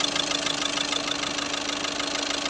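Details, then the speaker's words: Skoda Rapid after injector replacement: a sharp metallic knock rattles steadily at about seven per second over the idle; the fix is injector minimum quantity adaptation. "Injector replace किया है हमने अ और इसमें थोड़ा सा ना cutting आ रहा है"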